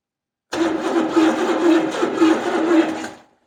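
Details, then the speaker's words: 1970 Buick Skylark, Buick 350 V8, after ignition and fuel work: starter churns steadily about two and a half seconds with even compression pulses, never fires; cranks, no start. "okay now we have spark there okay so this thing should fire no it's still not liking something"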